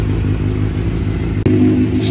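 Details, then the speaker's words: 2009 Suzuki GSX-R 750 that wouldn't stay running, idled poorly and died on throttle, started after a new plug, new ignition coils, fuel pump reinstalled and fresh fuel: fires instantly with a smooth, steady idle and no hesitation. "sounds like a brand new bike girl there was absolutely no hesitation it started up right away"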